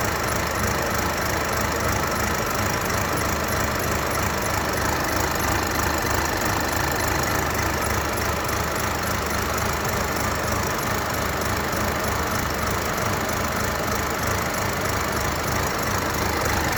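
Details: 2022 Mercedes CLA C118 200d, OM654 diesel, cold start: after about 1 minute idling it begins an uneven, stumbling, shaking beat, a rough misfire rather than smooth clatter: engine misfire at cold idle.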